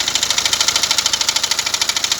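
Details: BMW X1 diesel at idle: fast, even ticking knock riding on the idle, a steady rapid beat from the front of the engine; crank pulley damper noise, worn damper pulley.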